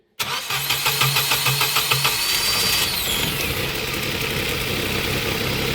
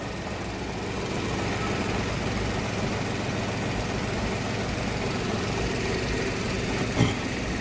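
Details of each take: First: 2015 Ford Ka 1.0, flooded, three injector connectors unseated so no fuel injects while cranking: about two seconds of even quick compression pulses, then catches and settles to steady idle once injectors are reconnected; flooded engine cleared and started. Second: 2015 Ford Ka 1.0 three-cylinder, towed in cranking but not starting, after replacing the sooted upstream oxygen sensor (B1 S1): even idle with steady low rumble, no misses or hunting; engine running noticeably better.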